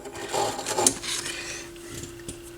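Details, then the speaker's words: AR XB turntable motor on initial evaluation, with a loose, dented pulley and a possibly crooked shaft: a thin, strained hum with rubbing and scraping. The motor has no torque and can barely spin the platter. "oh listen to that motor noise that's wonderful that doesn't sound good does it"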